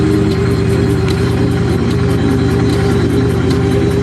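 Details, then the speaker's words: Engine after wiring work: catches straight away and settles into a steady, even low idle with no misses, music in background; running normally. "Trying to start it. Wow. Started right up."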